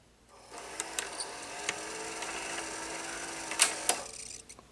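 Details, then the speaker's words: Hitachi VT-1370A VHS VCR, mid-1980s, six-belt mechanism: light mechanical whir with scattered ticks and clicks as gears turn in play, but no steady drum hum; video head drum does not spin, owner suspects electrical problem. "So the video, the drum does not turn. So normally it should turn when it goes into a play position, but now it doesn't."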